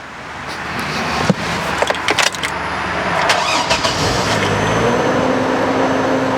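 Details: 2002 GMC Envoy 4WD, very high mileage, original engine, sat unused about a year and a half with dead battery: a few clicks and clatter, then it catches promptly and settles into a steady, even idle; normal start.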